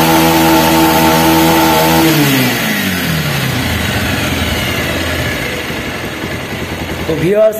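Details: Bajaj Pulsar single-cylinder after a scissor gear modification to cure timing chain and engine noise: ticks over evenly with no chain rattle or gear clatter, then the revs sag and die away; normal idle.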